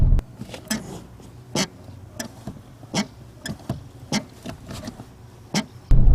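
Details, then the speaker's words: Ford Focus RS at 3,600 miles, two months into ownership; sharp squeaks about twice a second in time with each clutch pedal stroke in a quiet cabin; dealer could not lube it away, new clutch pedal spring assembly to be fitted. "I have a squeaking clutch pedal now. Don't know if you can hear that."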